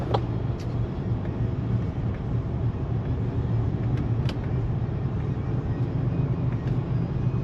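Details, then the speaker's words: Land Rover LR3/Discovery 3 after brake switch fix and fault code P0504 reset, test drive: smooth steady drive drone under road noise, no harsh clunks or flare; automatic shifting normally. "it shifts really nice no problem"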